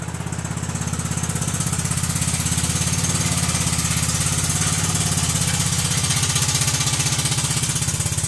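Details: Kohler Command CH16S engine in a Cub Cadet 2166, cold start after reinstall and reseal/electrical/starter refresh: steady even putter with deep low thump, no knocks or misses; runs good, warming up.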